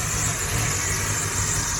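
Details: V8 in Atlanta box car just refitted with new Brawler 650 double-pumper carb and new plugs: smooth, even idle with steady low rumble, no misses or knocks; runs clean.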